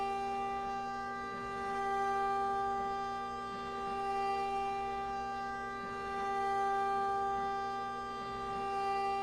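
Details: Aluminum CNC milling, adaptive toolpath after helical plunge, 50 inches per minute feed with air blast: steady clean singing tone swelling gently with the toolpath, no rattle or squeal; stock held firmly and machine coping, normal cutting without chatter.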